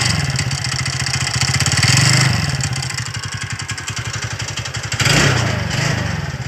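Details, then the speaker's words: TVS Ntorq scooter before repair: uneven metallic clatter rides over the engine and rises with the revs. Loose magneto flywheel rotor; tightening the magnet fixes the noise. "जिस magnet को tight करके आप लोगों का जो भी इस magnet का साउंड ए रहा है आप लोग भी ऐसा कम करेगा तो वह प्रॉब्लम सॉल्व हो जाएगा"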